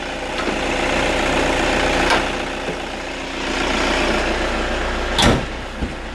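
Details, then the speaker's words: Toyota Kijang Innova 2KD diesel on biosolar (biodiesel), idling with the hood closed: steady, even, muffled clatter, quieter and less vibration thanks to hood insulation, no knocks or misses; normal idle. "Ya lebih silent ya, lebih tidak bergetar ya, karena di sini sudah ada peredamnya."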